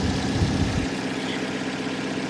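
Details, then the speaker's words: Salvage Dodge Dart at Copart auction; after sounding bad earlier, like no compression, it now holds a steady, even low idle with no knocks, misses or stumbles; normal idle. "so it's hard to say for sure she runs well now that she's running"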